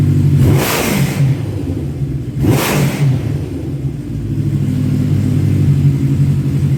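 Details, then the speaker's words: 1985 Kawasaki GPz900 Ninja revival, slightly warm after earlier running, tank fitted: steady low idle with two quick clean throttle blips, no knocks or misses; sounds healthy, though a coolant leak drip appears afterwards. "But anyway, so yeah, you guys heard it. Sounds good."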